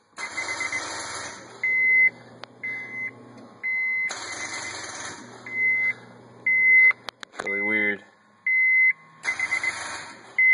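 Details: Honda S2000 no-start: pressing start with the key in brings short high beeps in repeating bursts about every two seconds, and the engine never turns over. The cause is unknown; there are also two clicks from up front at shutdown.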